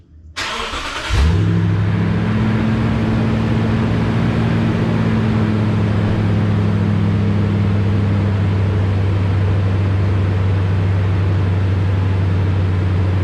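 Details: 2016 Toyota Tundra Platinum 5.7 iForce V8 on original exhaust, before Corsa 14916 install: starter whirr, then engine catches and settles into a deep, steady, even idle burble with no misses or knocks; normal start.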